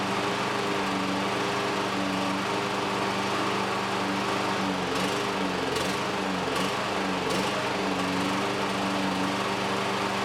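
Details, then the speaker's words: Exmark EC21KA mower with a Kawasaki FJ180 in a backyard: steady run sags and stumbles as the mower jolts over bumps; owner suspects a sticking carburetor float or air getting into the fuel system; engine bogging over bumps. "so i noticed the times when i start to die down is when is when i'm hitting a few bumps here and there in the backyard"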